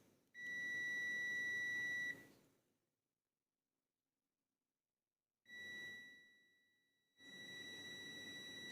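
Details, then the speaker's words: Multimeter continuity test on a 4/5-pin automotive relay: a steady beep when the probes touch the normally closed contact (pins 1 and 4 on 5-pin) with the relay unpowered, sounding twice more, showing continuity as it should. "kan terdengar bunyi klik, bunyi bip ya maksudnya, itu menandakan kontinuitasnya ada."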